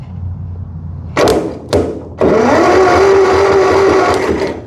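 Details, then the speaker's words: 1958 Massey Ferguson TO35 tractor, abandoned, choke on and fuel reaching the carburetor: starter spins the engine with a steady whirring drone in short bursts, never fires; no spark, distributor points worn out. No start from failed ignition points. "No spark. The cap looks good, but this does not. And these points, just garbage."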